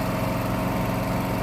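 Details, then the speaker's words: Briggs and Stratton 7.25 gas engine on a self-propelled walk-behind mower. It previously would not start and backfired; fuel replaced with fresh gas. After repair it holds a steady, even drone with no surging or missed beats; normal running. "but okay we did what we're supposed to we got it running"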